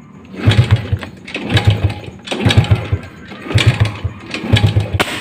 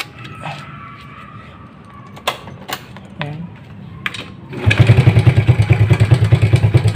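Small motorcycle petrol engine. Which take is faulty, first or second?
first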